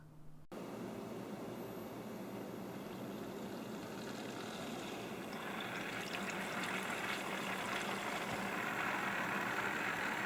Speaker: This is not a sound you want to hear. We're really not sure why it was making that noise at first. Your water pump should not sound like that.